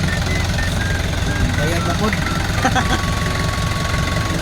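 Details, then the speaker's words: Kia Bongo Big Eye diesel with electronic pump, after a no-start fix (a hose/part reattached): steady, even idle with a low uniform clatter and no misses or knocks; healthy idle after repair. "so okay na po yung unit na' guys yun lang po yung sira niya"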